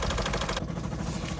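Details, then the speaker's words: 2009 VW Golf 1.6 TDI (CAYB, 90 hp) with failed injector 3 and cylinder 2 injector unplugged for testing, code P0202: heavy lopsided lumpy idle; diesel running on only two cylinders. "as you can hear the engine is running on two cylinders"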